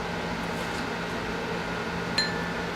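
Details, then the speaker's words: New grinding wheel given a ring test: one light tap gives a clear, bright ring that dies away quickly with no dull thud. The wheel is uncracked. "good let's do the reading test make sure it means good sounds good and then one down on the bottom sounds good"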